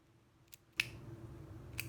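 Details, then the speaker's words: New ceiling fan light pull-chain switch, worked by hand, gives crisp, sharp mechanical clicks of a normal switch action; the old switch was not clicking right, confirming it as the fault before fitting the new one. "hear the click so this is definitely the issue"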